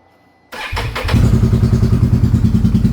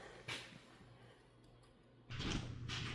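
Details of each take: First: 2022 Can-Am Renegade 1000 XMR started cold after sitting a week: it catches, then runs lumpy and uneven on one cylinder, nearly dying at idle and smelling of fuel. The intermittent misfire traced to an arcing spark plug boot. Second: 2022 Can-Am Renegade 1000 XMR V-twin ATV after finding and repairing an intermittent misfire that cut out one cylinder: fires up, settles into an even idle, then revs cleanly, running on both cylinders again.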